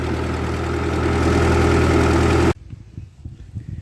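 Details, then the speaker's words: 1948 Ford 8N tractor pulling uphill in third gear, below full speed, oil pressure reasonable: a steady low thrum at an even beat that holds firm under the pull, then cuts off; the engine sounds healthy and strong. "she got lots of power oil pressure is reasonable it's not even really at full speed oh yeah that's good perfect"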